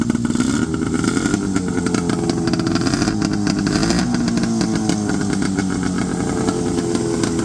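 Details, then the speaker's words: 1970 Polaris Mustang two-stroke snowmobile after the too-tight throttle cables were loosened and the idle screw adjusted. A buzzy idle that wavers slightly in pitch but holds steady; idling properly. "all right I got it idling pretty decent here"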